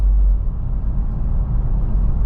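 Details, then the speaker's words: Car driving under acceleration: steady low droning hum with vibration, like rumble strips, only when speeding up quickly, not when driving gently; overdrive light sometimes flashes; mechanic says transmission needs replacing. "is only when I am accelerating. As long as I keep it slow and take it easy, it doesn't make that sound, but if I try to speed up too fast, it'll start humming and vibrating, and it's almost like I'm running over the grooves on the side of the road."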